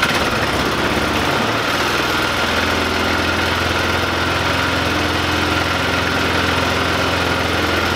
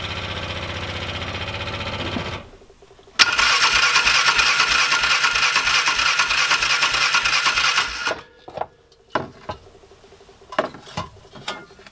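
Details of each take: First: 2005 Polaris Ranger 500 UTV after cleaning out and refitting a gasket: steady, even single-cylinder idle with a smooth low thump and no misses or knocks; engine running healthy. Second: 2005 Polaris Ranger 500 UTV non-runner, cranked in neutral: the starter spins at about three chuffs a second for five seconds, never catches, then just clicks, with no spark. The choke may have been on; a mechanical or electrical fault is suspected.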